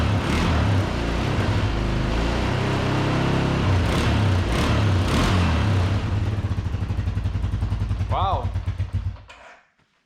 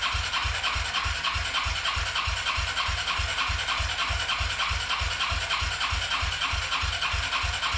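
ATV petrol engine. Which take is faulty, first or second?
second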